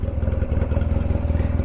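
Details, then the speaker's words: Honda Rebel 250, warm, at idle: a deep, loud, raw idle with evenly spaced heavy thumps, far bigger-sounding than a 250, because the exhaust has been cut. Loud exhaust from a cut muffler. "Really the only thing is the exhaust that's been cut, that I really would like to try and fix that."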